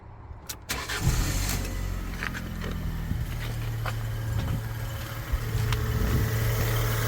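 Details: Fiat 500 Cat S, listed as engine noisy, with likely the original battery: engine catches quickly and settles into a steady, even idle with a low hum; no knock or tick stands out.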